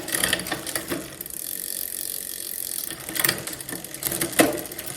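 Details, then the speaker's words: 2004 Klein Aura X bike, Shimano 6500 group, double front, new cables and housing; rear derailleur H limit screw backed out until chain drops to small cog: crisp freewheel ticking, chain drops cleanly, no grinding; normal shifting. "And for the front, and big gear on the back, I want this derailleur to not rub. When I shift it up, it goes up in the gear, then there's a little trim, go back down."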